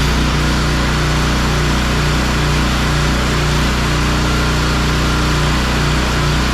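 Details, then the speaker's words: Pressure washer small single-cylinder engine after carburetor work, air filter refitted: steady fast putter, earlier slight idle surge gone, no missing; running smoothly. "Alright, so that sounds better still yet, and so I think we're ready to hook this up to some water, and we'll see if it'll spray."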